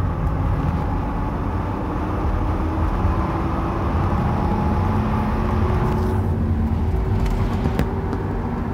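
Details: GMC van driving, phone camera inside cab: under road rumble, a faint steady whine rises with speed while pulling, an extremely loud rear end; points to worn rear differential gears.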